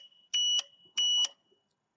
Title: Rele con zumbador EEE FPB2